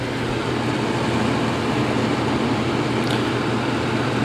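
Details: 1986 Williams Forsaire direct-vent propane furnace, original to the condo, after relighting the pilot: steady airy whoosh with low even hum, no rattles or squeals; blower running smoothly.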